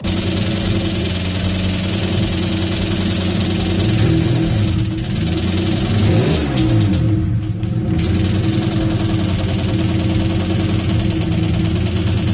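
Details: Engine run before removing cams to locate a knock thought to be rod knock: sharp top-end tapping that follows the revs as they rise and fall, from seized hydraulic lash adjusters (HLA lifters), not rod knock; lifters then freed/redone.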